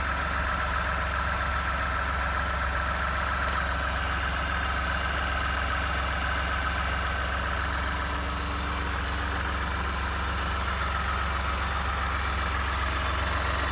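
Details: 29K-mile 2018 Ford F-150, 2nd-gen 3.5 EcoBoost V6, at idle: a faint, fairly regular light rattle over the engine hum. The owner cranks longer to prevent cam phaser startup rattle. Engine knocking at idle, cause unclear.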